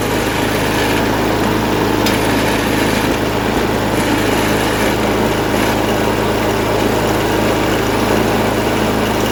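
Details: MTD snowblower sat about a year, revived with fresh gas plus cleaner, primed, choked, throttle about half: steady even beat with no misses or surging; runs well, auger works.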